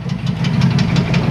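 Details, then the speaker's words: 1994 Chevrolet Astro van V6, idling: dull regular clunk about six a second, same with belt on or off, so internal. Cause unconfirmed; won't drive it on the street. "I don't want to drive it with this noise like this I'll drive it around the property here around the farm but I got to figure out what this noise is and it does it with the belt on belt off doesn't matter"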